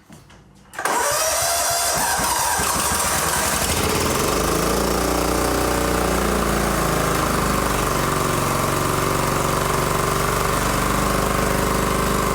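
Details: John Deere GT225 lawn tractor, first start after fixing a not-running issue; quiet, then catches under a second in and settles into a steady, even single-cylinder run with no stumbling; normal start and idle.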